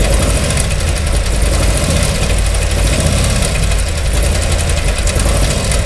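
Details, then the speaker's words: Harley-Davidson Milwaukee-Eight with Screaming Eagle Stage 4 kit: loud lumpy V-twin idle with fast irregular top-end clatter; valve train noise, rear exhaust lifter or broken valve spring suspected, unconfirmed. "I'm going to make a early prediction that is a rear exhaust lifter or a broken valve spring just just because I feel like I hear back here but also a little bit down here"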